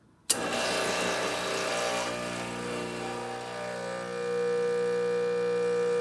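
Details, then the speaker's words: Rancilio Silvia espresso machine, test shot after a completed full service and tune-up: the pump kicks in sharply, then holds a steady, even buzzing hum without rattles or surging while the shot pulls. Normal pump operation. "Running a good shot now. Happy with that? That sounds good."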